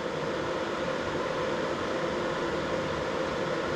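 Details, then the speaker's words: Crypto mining rig, BTC-S37 motherboard with 6x RTX 3060 Ti in closed case, sound-meter test: steady even fan rush with constant hum, no ticking or rattle; about 65 dB, loud power supply fan dominates, running normally. "s'il ya le bruit ambiant on signe à d'autres hits qui tourne à côté c'est l'alimentation à qui fait beaucoup de bruit si on en mettait une autre"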